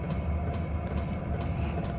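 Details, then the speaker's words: Hcalory 5–8 kW 12 V diesel air heater running, sitting on a wire cart; steady low rumble with faint regular ticks about twice a second as the fuel pump pulses resonate through the cart. Suggested fix is to mount the pump so it touches nothing that resonates. "You can maybe take the pump and move it somewhere or have it to where it's not actually connected to anything that'll resonate with the pump."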